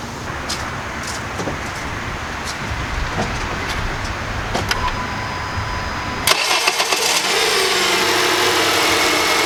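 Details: 2008 Honda CR-V engine, recorded in a before/after check around replacing the lower rear torque mount (a worn one caused violent vibration): starter cranks briefly, engine catches and settles into a steady, even idle with no knocks or clunks; sounds healthy.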